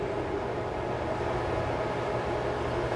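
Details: Bambu H2D 3D printer with AMS, faulted with errors and not recognizing loaded filament: steady, even cooling-fan whoosh with no change in speed, running constantly while it sits faulted; cause not found after inspecting the electronics and build plate.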